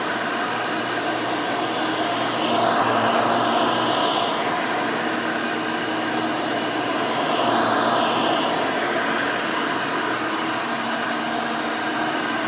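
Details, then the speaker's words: Rebuilt Hoover Elite 600 upright vacuum with new 7 amp motor and 20-blade fan running; steady high whirring hum at even pitch, no rattles or scraping; smooth, fairly quiet, like the original 6 amp, healthy. "very nice runs very smooth it's fairly quiet this new 7 amp motor with the 20 blade fan almost sounds like the original 6 amp that was in this"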